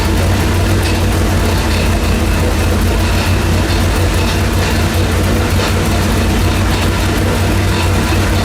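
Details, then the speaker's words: Junkyard LS with twin two-stage BorgWarner turbos on an engine dyno: deep drone pulling hard under load, broken by an occasional uneven thump, an intermittent misfire. Two cylinders were misfiring earlier; wastegates were investigated. "and you can also hear misfiring every now and then like at least a deep one when he loads it's like bull"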